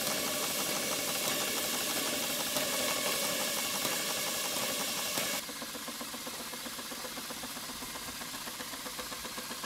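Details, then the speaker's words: Stuart 5A steam engine under test on steam from a Castle Steam V6 boiler fired with charcoal, running outdoors at speed: quick, even beat of about four strokes a second, clean with no knocking, very smooth and well balanced, not moving on the table; normal running. "it really does room well it's one of the smoothest five days I've ever come across look at the speed of it and it's not dancing all over the table so somehow it's very well balanced"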